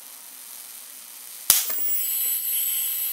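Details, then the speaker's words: Homemade high-voltage capacitor stripped to a single dielectric layer, on a power supply reaching up to 30,000 V: quiet hum, then a sharp crack and steady hissing as the dielectric breaks down and arcs, the current off scale and voltage collapsing. "there we go it busted down to one layer and we can see the current is off the scale you can hear it hissing now so the voltage is down way down"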